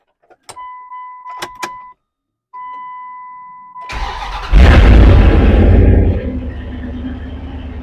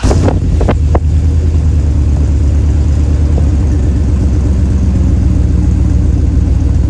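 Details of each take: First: 1999 Dodge Durango with the muffler removed, recorded on an external mic: a few chimes, then the starter cranks and the engine catches into a loud, deep, raw rumble at idle; loud open exhaust before muffler replacement. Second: 1999 Dodge Durango after new muffler fitted: deep, even low rumble with steady idle and no rasp or blowing; exhaust sounds sound and quiet, normal exhaust note after repair.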